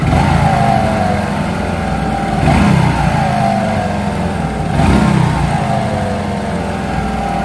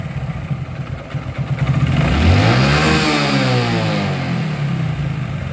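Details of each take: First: Hero Glamour 125, 20-25 days after clutch plate change, clutch lever pulled: steady rough rubbing drone under the exhaust, rising slightly with each blip; clutch bush rubbing the bearing collar/housing. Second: Hero Glamour 125, clutch lever pulled, after fixing the clutch bush that was touching the housing: even engine beat, smooth rev rise and fall, no scraping or rubbing; clutch side now healthy.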